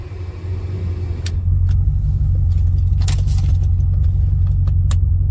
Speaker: this customer brought their vehicle in stating that their car continues running no matter what even if you turn the vehicle off